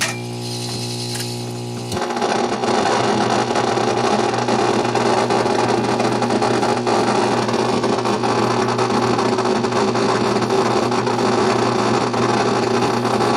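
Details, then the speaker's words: 1964 Rowe AMI Tropicana jukebox, old tube amplifier powered up before the rebuild while a record plays: a loud, steady low buzz and hiss completely replace the music; there are major problems in the amplifier and/or preamplifier. "okay we're going to turn it on and look for explosions might get some hum here yep we're loud people again"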